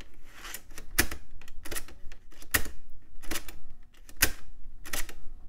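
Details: Floppy drive from an early-to-mid-2000s AMD Athlon XP custom PC: crisp, quick bursts of head-stepping clicks at irregular intervals, no grinding or dragging; seeking freely.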